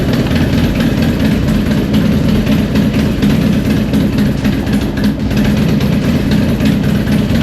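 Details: 2001 Harley-Davidson FXDX Twin Cam, 26k, first start after the cam chest upgrade replacing the spring camchain tensioners, still cold. Loping V-twin idle, even and steady, with no ticking or rattle from the cam side: normal idle.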